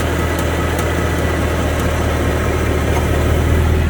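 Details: 2014 Ford Mustang 5.0L V8 with 9,500 miles at idle: faint light ticking over the steady low rumble; dealership has not found the cause.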